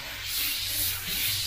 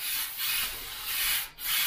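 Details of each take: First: Airbrush at around 25 PSI with paint thinned down: steady, even airy hiss with no sputter or grit; thinned paint spraying cleanly, unlike the gritty, grainy sound of paint that is too thick. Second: Airbrush at full 25 psi with unthinned thick paint: about six uneven bursts of gritty rough hiss with short breaks, spatters grainy instead of misting; needs a little water to thin.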